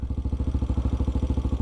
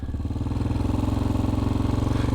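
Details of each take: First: Single-cylinder bike with TBR7 exhaust idling at about 1,700 rpm: steady, even thumping about fourteen times a second, a healthy target idle; around 3,000 rpm is too high. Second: Small single-cylinder bike idling fast at about 3,000 RPM, a rapid steady putter; idle set too high, preferred around 1,600 RPM.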